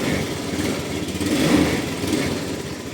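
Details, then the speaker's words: Honda Scoopy 2017, original condition, about 44,000 km on the odometer, oil just changed: small scooter engine ticking over with a steady, even putter, no knocks or rattles; smooth, healthy normal idle. "dan seperti ini kondisinya. Suara mesinnya juga halus, kelistrikan aktif semua."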